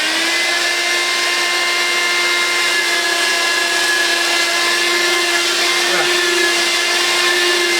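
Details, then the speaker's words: Steady high motor whine with constant airy rush while vacuuming carpet, pitch even; running normally, good suction, picking up the carpet pile well. "it glooms really well can really feel it picking up the pile in the carpet"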